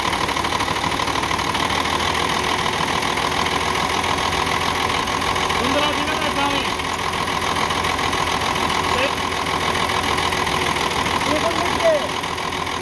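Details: UD CK450 truck, Nissan PF6 six-cylinder diesel that suddenly began misfiring, losing power and stalling under load: uneven, lumpy idle with a stumbling rhythm; injection pump plunger No. 5 delivers no diesel, so one cylinder is dead.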